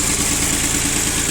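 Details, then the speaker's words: Yanmar F15D mini tractor diesel with 16 hours of operation: steady, even, unbroken beat at idle with no knocks or misses; normal idle. "16 часов наработки у нас здесь. Работает ровно достаточно."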